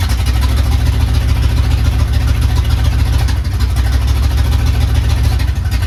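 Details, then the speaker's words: Carbureted Ford Capri project, first start: deep, lumpy, loping idle that never smooths out; runs rough, later traced to a 3.5 PSI fuel pump when the carburetor wants about 6 PSI. "It's running. It's moving, but it does not sound too happy, does it? It sounds pretty rough."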